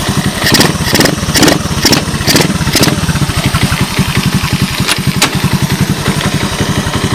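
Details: 1986 Honda TRX125 single-cylinder from a scrap yard, hotwired and run on a jump pack. Steady, unbroken putter at idle over light background noise; no smoke and no bottom-end noise, engine in fine shape.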